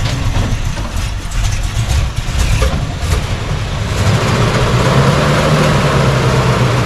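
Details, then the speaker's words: 1968 Chevy C10 short bed V8, started after sitting about 8 months, 80 degrees out: cold rough idle, uneven loping, stumbling and popping, needs gas or it will stall; stale garbage fuel suspected, not confirmed. "You better give it gas or it's going to stall. I think it's all that garbage fuel."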